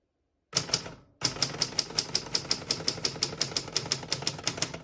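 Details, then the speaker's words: 1964 Adler J4 vintage portable typewriter typing on single line spacing. Crisp, clean key strikes about three a second; all keys type well and none skip or stick. Normal typing action. "As you can see, all the keys type nice and none of them skip or stick."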